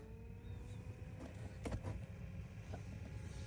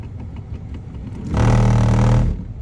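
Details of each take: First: 2016 Toyota Sienna LE after installing a new A/C blower motor, engine idling. Steady fan whir rises to high speed, smooth and free of rattles or squeal: blower working fine after the repair. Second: 2016 Toyota Sienna LE A/C blower motor. When switched on, a low hum runs about a second, then cuts out abruptly and gets stuck. The owner believes the fan blade is broken and replaced the assembly.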